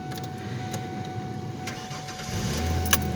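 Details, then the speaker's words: 2005 Ford Ranger after a new starter was fitted: brief crank, then the engine catches and settles into a steady low idle; a clean, normal start. "That's the new starter."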